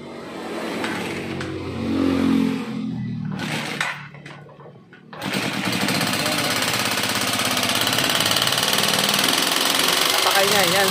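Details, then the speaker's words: Neglected Euro 150 motorcycle engine, very noisy, idle rising: fast, even metallic clatter over a high idle. "may gagawin tayong isang Euro 150 ito napakaingay ng makina nito"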